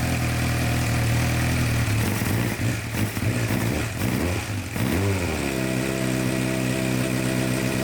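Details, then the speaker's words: 2006-2007 Suzuki GSX-R 600 that sat outside for months, first start with the air box off: uneven, stumbling idle hunting and sagging around throttle blips; running rough, cause not confirmed. New plugs and fuel additive came afterwards. "it runs it's running really rough we have the air box off"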